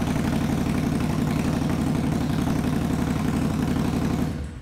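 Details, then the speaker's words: 2021 Indian Scout Bobber Twenty with Vance & Hines Twin Slash slip-ons, baffles removed (straight piped): a very loud, deep, lumpy V-twin idle thumping about four times a second with a harsh open bark; loud exhaust. "holy moly okay well now we know no it's just power God damn dude amazes me just how crazy this bike is right"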